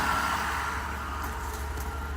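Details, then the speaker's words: Mercedes SL600 V12 after mass airflow sensor wiring repair, stationary, heard from inside the car; a vacuum leak suspected somewhere still: smooth rock-steady idle, no hunting or surging; normal idle. "stationary the idle is not jumping we get in just to show you how it runs inside rock steady idle"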